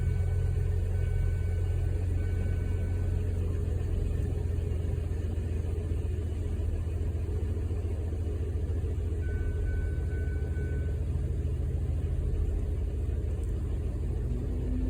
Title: DEAD MISFIRE! Bad ignition coil